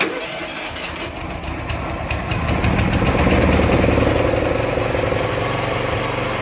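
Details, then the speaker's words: Wheel Horse 212-5 garden tractor, single-cylinder, not started for about a month, on a hot 85°F day, with a known fuel delivery issue: brief crank, then it catches and settles into an even, steady idle chug; starts easily and runs normally. "started really nice actually really yeah that's how easy it"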